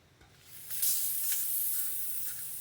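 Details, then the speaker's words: Coleman 413G stove fuel tank, pump repaired by oiling and reshaping the leather cup, pumped and left 10–15 minutes: quiet, then a sharp sustained hiss as the fill cap is cracked; tank held pressure, cap seals. "Okay. That sounds good to me. I think we got her fixed."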